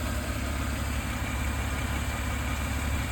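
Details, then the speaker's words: Engine after fresh engine oil and filter change, previously knocking and valve ticking: smooth even low hum at idle with no ticking or tapping; normal idle, valve clatter gone. "একটা গাড়ি এরকমই হওয়া উচিত এই যে একটা গাড়ি এরকমই হওয়া উচিত এরকমই মিহি শব্দ হওয়া উচিত এবং কোন কট কট কট কট টক টক টক টক বাল্ব প্লাটারিং যেসব শব্দ হয় এরকমই শব্দ হওয়া উচিত"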